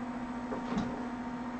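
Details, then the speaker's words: HE3D K280 3D printer Z stepper moving the axis down 1 mm at a time, belts not yet tightened, switches replaced: steady fairly loud buzzing drone at one pitch, no skipping or grinding; noisy but running normally. "Not exactly the quietest thing in the world, but it is running."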